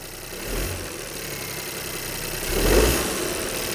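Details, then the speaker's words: Three-cylinder direct-injection engine, suspected downsizing engine damage under 100,000 km, started and revved in the workshop: slightly uneven idle with light ticking, two rev rises settling back cleanly; no unusual noises, normal ticking for a three-cylinder. "Was heißt beschissen? Der tackert natürlich so ein bisschen, aber das ist ganz normal. Ja, der hat ja nur Dreizylinder."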